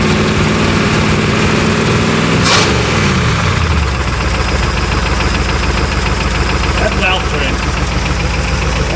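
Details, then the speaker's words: Barn-find Pontiac V8 restarted after cooling at least an hour: an even idle with a faint, regular light knock; a sticky wrist pin is suspected, expected to grow louder as it warms, unconfirmed. Engine knock. "We're theorizing like a wrist pin or something that's a little sticky. I I think we're going to hear it gain noise as it warms up again"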